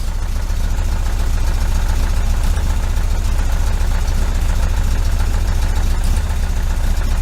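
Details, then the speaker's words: 1973 VW Super Beetle, 1745cc engine on dual Dellorto FRD 34 single-barrel carbs with a balance tube fitted: lumpy, uneven idle pulsing about three times a second, stumbling as if ready to die; running on only two cylinders, can't hold idle. "you crank it up and then with two cylinders I've got a little bit of a hit a little bit of a hiccup"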